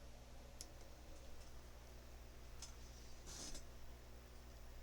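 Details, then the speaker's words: Retevis RT97S/Midland MXR10 GMRS repeater interface board with USB-to-DB9 adapter for Zello: a few sharp, light relay clicks as the adapter is plugged in, which is normal. "Also, when you plug it in too, you may hear the relay click, and that's normal."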